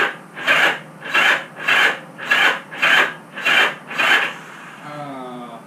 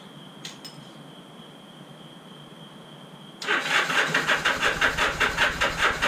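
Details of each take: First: Motorcycle unrun for about 35 years, carb cleaner sprayed in carbs, throttle and choke jammed: starter drags through about seven slow laboured turns in four seconds then fades; battery jump box too weak. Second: Motorcycle unrun for about 30–35 years, after battery charge, fresh oil, new spark plugs and filed points: catches at about three seconds and settles into a steady popping twin idle; normal first start.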